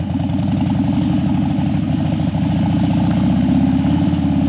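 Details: Harley Dyna that died after 10 miles and wouldn't stay running or crank when hot, now warmed up after a fix the owner suspects was the battery. Even, loping V-twin thump holding a steady warm idle with no stumble. Runs healthy.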